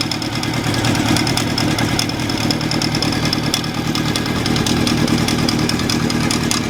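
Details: Honda CB750 cafe racer after carburetor rebuild, idling, microphone close to alternator side: rough busy idle with faint light knock/rattle in the bottom; owner suspects alternator bearing, unsure of source.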